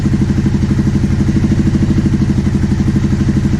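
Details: 2009 Aprilia Shiver SL750 after replacing both air pressure sensors in the airbox: a steady, even idle with a regular low thump about three per second. The earlier idle jumping up and down after about a minute is gone.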